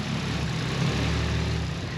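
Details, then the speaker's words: Freshly fitted 1JZ six-cylinder with stock cams in a JZX90 at first startup, oil pressure present, wideband reading a bit rich: low, even idle hum, steady beat, no misses or knocks; fresh engine running smooth. "Ooh, baby. Yes. Sounds super nice. Sounds very smooth."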